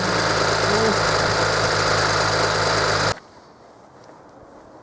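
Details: 2007 BMW E91 335i after refurbishing its starter motor, first start once mechanically rebuilt: smooth, even idle with a steady low hum, no knocks or misses for three seconds before cutting off; normal healthy idle.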